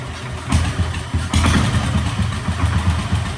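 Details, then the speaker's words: Normal idle of a 1967 Sears Super 12 garden tractor with a swapped-in engine and new muffler, running on gasoline; steady even low putter with regular beats, no misses or knocks. "It sounds pretty good. Yeah. Oh, look at that. That was easy."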